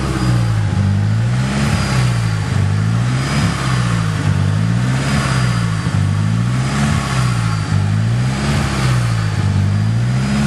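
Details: Nissan SR20DET turbo petrol engine, freshly swapped and overheating, idling unevenly with speed hunting and stumbles after timing was set to 15 degrees; the CAS was ruled out, and the rough idle turned out to be wrong ignition timing.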